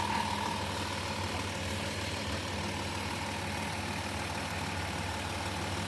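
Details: Van just jump-started after battery drained changing gauge-cluster bulbs to LED, brand new serpentine belt: smooth, even idle with steady low hum and no knocks, ticks or misses; engine runs healthy.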